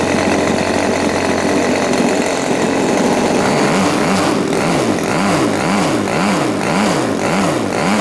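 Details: New Turnigy TP31-T 31cc twin gas engine (CD ignition, Walbro carb, 3.7 HP at 8500 rpm) on its first break-in run: a loud, buzzy note running rough but strong, with speed rising and falling about twice a second, a healthy first run-in.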